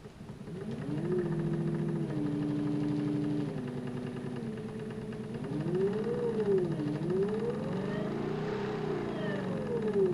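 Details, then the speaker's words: New Haswig Protruar 12V 55 lb brushless trolling motor running: whine steps and sweeps through speeds in forward and reverse with a faint rapid ticking under it; owner feels the tick isn't right. "picked it up off of eBay and it's got a tick doesn't sound right to me see what you think"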